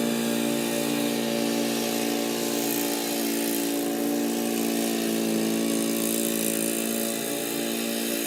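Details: Old Murray riding mower, 12 hp Briggs & Stratton, cutting grass in 30–33 degree heat: even, steady engine drone with constant pitch, no misses or knocks; normal running under load, runs and cuts well.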